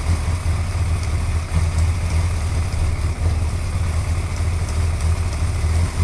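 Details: Suzuki GSXR 1100 motorcycle at steady low idle with faint, quick light ticking riding over the top; engine ticking, cause unclear.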